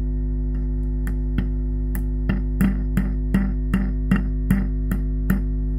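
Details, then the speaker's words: Ampeg SVT-3 PRO bass amp with crackling, popping and buzzing complaint: volume up, unconnected input cable adds steady hum, while tapping a microphonic preamp tube gives springy ringing clunks two or three a second. "tapped some of these tubes and they all sounded microphonic this one actually is microphonic and I'll show you what that sounds like"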